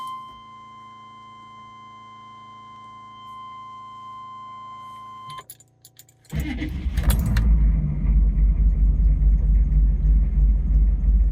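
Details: Chevy/GMC 6.5 turbo diesel truck after replacing the PMD (pump mounted driver) and fitting a higher-value resistor: short crank catches at once into steady, even diesel clatter at idle; healthy start and run.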